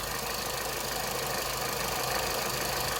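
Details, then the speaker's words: 2010 Vauxhall Meriva 1.4 petrol at idle after fixing a wiring fault on one injector: steady, even idle with light ticking and rattle over hiss, no misfire. "t the cover to go back on and then see how she sounds when I start her up so guys she's hiding lovely"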